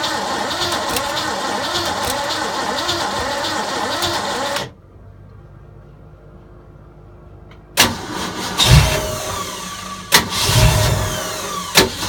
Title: 302 no start